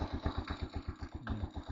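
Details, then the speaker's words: TMX single-cylinder motorcycle at about 59,173 on the odometer, after setting both valve clearances to 0.06 mm and lowering the idle: steady thump at about eight beats a second with only a faint light tappet tick left, much quieter than before; normal idle. "syempre may lagipik 'yan pero hindi na siya kagaya nung dati sobrang lag"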